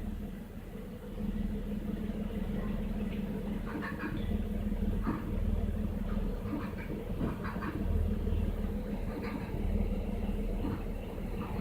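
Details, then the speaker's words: 2003 Jaguar X-Type V6 (about 3.2 L, owner unsure) idling with check engine light on, uneven stumbling rumble and irregular thumps; misfire intensifying as MAP sensor reads about 44–47 kPa. "see that it's G up to 44 and it's misfiring now I don't know if you can hear it the misfire is a little more intense right"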